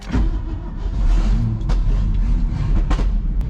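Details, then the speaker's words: 1990 Ford F600 with carburetor issues, after a fix attempt: running better with a low, fairly even idle rumble but still broken by occasional sharp backfire pops. "she does sound like she's running better it was still doing a little bit of that backfiring uh but it sounds like it's sitting there idling"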